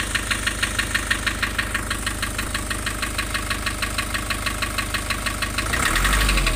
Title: Nissan Urvan Estate ZD30 E25 rough idle and white smoke loss compression